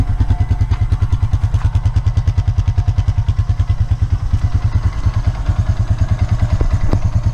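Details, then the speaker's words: 2003 Honda Rancher 350 ATV with about 243 miles, first start after a valve adjustment, started without any throttle. Even, steady thumping idle at about three beats a second, no ticking; normal idle, valve noise gone. "let's uh crank her up and see how she sounds wow it's pretty nice didn't even have to give it any gas or anything"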